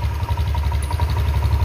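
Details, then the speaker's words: Old-model Honda Vario 150 injected scooter at idle: uneven, stumbling, sputtering putter instead of holding steady idle; engine dies when throttle is opened quickly, hesitant acceleration. "itu agak brebet nah ini dari suara itu aja sudah kelihatan kalau ada beberapanya yaitu tidak bisa langsung jadi pincang ini"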